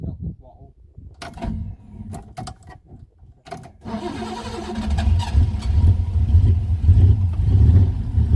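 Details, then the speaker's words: Ford Capri 3.0L V6 race car replica stored 20 years, after ignition points were cleaned to restore spark: engine catches after handling noise and settles into a steady, even low rumble; good oil pressure, running nice while warming up. "Yeah, oil pressure is good, mate. Yeah, oil pressure is good. >> Yeah, she is running nice."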